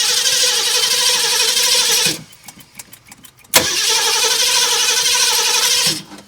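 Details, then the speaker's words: 1969 Ford Mustang, sat 30+ years, fed from a portable gas can: two long bursts of starter churning with no firing. There is no accelerator pump shot, and fuel is not reaching the carburettor. "Oh, yeah. Why are we not getting a pump shot? Interesting."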